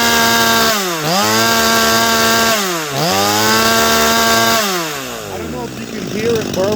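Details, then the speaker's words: Holzfforma G255 (MS 250 clone) chainsaw being tuned, Chinese carb: held wide open it burbles and breaks up unevenly instead of screaming clean; four-stroking from a rich high-speed mixture. "I'm going to let you hear it four stroke first and I'm going to clear it"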